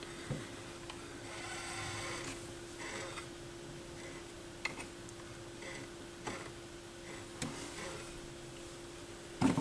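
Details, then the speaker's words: Yamaha YP-B4 turntable propped on its side during the auto-return cycle after the cut button: low motor hum with soft clicks and rubbing from the plate gripping the Stewart pimple; normal return mechanism noise. "here's the plate here's the steward pimp right here and that's what's making that noise which is good that means it's gripping"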